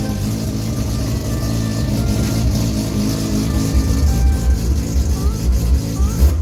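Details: SCCA E-Production RX7 rotary, freshly rebuilt, at its first start with direct-fire ignition and a rejetted Weber carb, given short throttle blips. A loud, choppy burble picks up with each blip and drops back cleanly; healthy engine.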